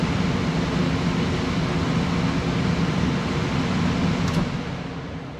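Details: Propane furnace after gas valve and control board replacement, manifold pressure set about 9.7–9.8: blower starts, steady even rushing airflow with low burner hum, no knocks or rattles; running normally.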